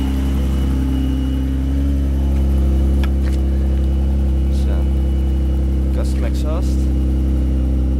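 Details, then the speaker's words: Subaru Tribeca 3.0 H6 boxer with new water-cooled VLC supercharger kit, fully custom exhaust: deep loud steady cold idle with throaty drone, no misses or knocks; healthy engine, loud exhaust, quieter when warm as cold mixture runs rich. "as you hear the exhaust also makes a lot of noise it's uh completely custom it's r a"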